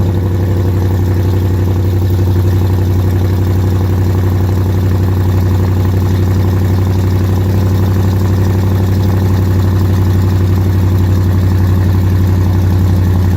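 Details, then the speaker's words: Dodge Challenger R/T 5.7 V8 at first start after installing BBK long-tube headers: loud, steady idle with a sharp puffing tick on each firing pulse, about three per second; exhaust leak at the clamps, to be fixed. "oh yeah exhaust leak alright gotta fix those clamps I can hear it till tomorrow clamps got to be fixed first just straight exhaust leak"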